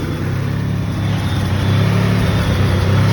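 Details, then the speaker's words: Mitsubishi 3000GT VR4 after transmission repair: steady deep hum, the deep rod-knock-like knock gone; caused by worn main shaft and reverse idler spacer, temporary fix. "all right happy days after days there's car running you can hear the knocks gone away it sounded like a deep rod knock from up here but you can actually hear that my engine is perfectly fine"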